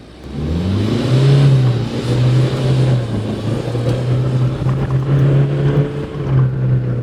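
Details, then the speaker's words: Toyota Hilux N80 Revo automatic in four-wheel-drive low, full throttle from a standstill in first gear. Engine drone climbs, then drops sharply at each quick, clean upshift; the gearbox is shifting normally and fast. "so i'm gonna put foot down now i'm gonna hammer it and you will see at the speed this gearbox shifts which is actually awesome"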